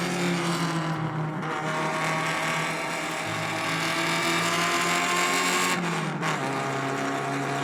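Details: Restored Alfa Romeo Spider Veloce 105 with 1750 engine after full rebuild, on the road: crisp four-cylinder note climbing and dropping through the gears, pulling cleanly with no knock or misfire; normal running.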